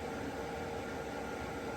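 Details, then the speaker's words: Heater in a shuttle bus conversion firing up and blowing hot air: a steady, even rushing hiss with a faint hum, no surges or knocks; normal heater operation. "so I got all this done the heater sounds like it's firing up oh yeah hot air it's blowing hot air"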